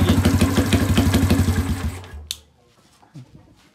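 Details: 1981 Kawasaki Binter Mercy 200cc single, previously hard to start: kick-started with no throttle, even thumping about four beats a second, steady until switched off. Normal idle.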